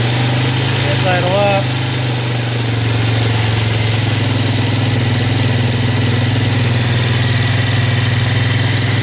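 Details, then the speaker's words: Yamaha Warrior ATV with rebuilt carb, first run after years, not warmed up: single engine idling steady but a bit fast with no misses; high idle because the choke was accidentally left on. "bit of a high idle but I need to turn give it a little more fuel that might turn out"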